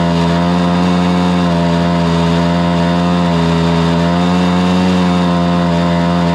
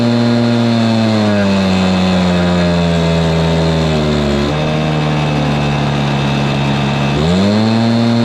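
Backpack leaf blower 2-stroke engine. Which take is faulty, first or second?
second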